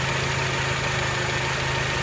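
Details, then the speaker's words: Honda Element, warm idle under the hood: light, fast ticking over the steady engine hum, appearing as it warmed up; injectors ruled out, owner suspects valvetrain noise from the top end, unconfirmed. "Из форсунки мы исключили, это какой-то моторный звук. Если газануть, звук не прогрессирует."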